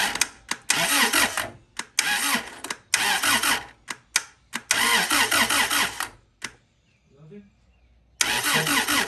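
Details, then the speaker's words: Honda CRX: several short brisk cranking bursts with no firing, no spark, even after replacing distributor internals; check engine light behaves abnormally at ignition on; crank no-start. "Crank it. I need you to crank it though. Yeah. No spark."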